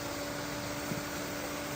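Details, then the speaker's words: Off-grid river hydro water turbine, running again after the failed dam was repaired: an even, steady whirr with a thin, constant squeaky tone and no surging. The turbine is spinning smoothly and operating normally. "That whirring, irritating, squeaking sound? It's the sound of success. We have power, baby."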